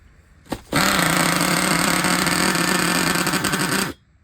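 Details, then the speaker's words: Used Traxxas Revo 3.3 nitro RC engine, hard to start: short uneven burbly high-pitched buzz of about three seconds then dies, sounds screwed up; owner suspects glow plug but finds it working, cause unknown. "that sounds all screwed [Music] up okay [Music] it's the freaking glow plug look it's not even working though was it the glow plug this whole time"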